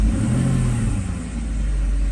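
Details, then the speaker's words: Mercedes SL600 in-car test after repairing the E-gas module 1295452232, which failed from shorted throttle body wires (burned area bypassed): smooth, even rev that builds cleanly, idle speed correct, acceleration normal; a loud air pump may screech. "we're okay here yeah the idle speed is right where it's supposed to be acceleration just personally gets slightly no problems there so I think we're in good shape here and the module works"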